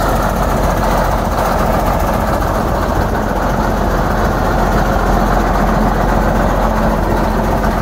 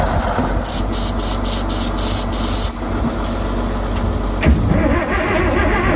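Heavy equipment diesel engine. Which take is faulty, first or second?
first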